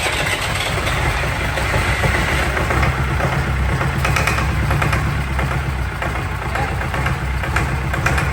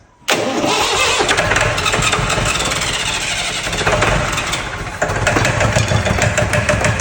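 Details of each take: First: Fire-damaged diesel in 1989 Sambron D2000 telehandler after wiring-fault fire, running at about half throttle; steady, even diesel rumble with no knocks, misses or hunting; engine sounds healthy and worth salvaging. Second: Fire-damaged Perkins diesel in 1989 Sambron D2000 telehandler, burnt in wiring-fault fire, cranked on WD-40 sprayed in intake; short crank, then catches abruptly and runs rough and clattery with uneven firing on the spray.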